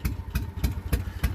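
Lumpy idle with a heavy thump about every third of a second and dead gaps between; a hit-and-miss beat, clearly misfiring cylinders. Cause suspected, not confirmed.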